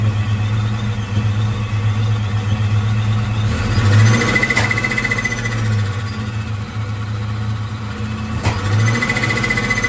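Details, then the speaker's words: Procharged 1996 Mustang GT, EGR deleted, exhaust leak partly fixed, new aftermarket 42 lb injector MAF: rough lumpy idle that stalls when MAF is plugged in; owner suspects computer or MAF wiring rather than sensor. "As soon as I plug the MAF in, it kills the car. Interesting."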